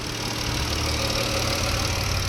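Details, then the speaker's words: Chrysler/Dodge/Jeep 3.6 V6 after rocker arm, oil cooler, spark plug and coil pack replacement, previously clacking and misfiring on cylinder 2: even, steady idle, no ticking or stumble, no check engine light; normal idle. "all righty see no ticking sounds good at first it was like but now it's smooth like it's supposed to"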